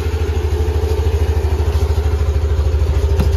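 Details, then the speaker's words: All-stock Yamaha Aerox scooter, well maintained, idling on new ZIC M9 4AT 10W-40 fully synthetic oil: even, steady low idle pulses with no knocks or rattles; idle smooth, not rougher than with previous oils. "Pero tahimik naman talaga yung makina nito kasi alagaan natin to. Yan, smooth naman yung under nya, hindi naman gumaspang katulad yung mga nilalagay nating langis o nilalagay yung langis dito."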